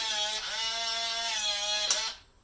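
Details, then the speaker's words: Kwikset SmartCode 909 lock during initialization, program button held while inserting batteries: steady fairly high motor whine about two seconds then clean stop, green light blinks; normal lock motor operation. "Okay, if it does that, and the green blinks, that means you're good to go."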